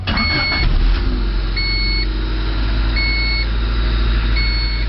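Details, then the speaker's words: 1988 Honda Civic after replacing a failing ignition switch: engine fires and settles to an even, steady idle with a chime beeping about every 1.5 seconds; normal start and idle. "sounds like it's staying rain to me so sounds good"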